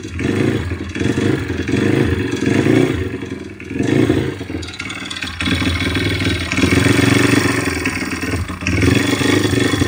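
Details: YX-1 160 four-stroke single revving, with an uneven, wandering metallic knocking coming and going irregularly. Fully rebuilt with valves adjusted; small piston-pin play, no conrod or cam play, but the cam came out easily with its bearings; slight ringless piston play. Source unknown.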